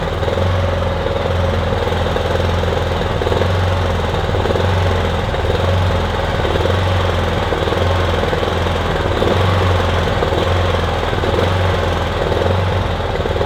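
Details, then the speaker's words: Kipor Sinemaster IG2600 digital inverter generator, just over 2 kW, stored in a garage for years, running on choke after spray was put in; loud low drone with an uneven, lumpy, surging beat; rough running, though it runs. "It's not exactly smooth, is it? But it's running at least."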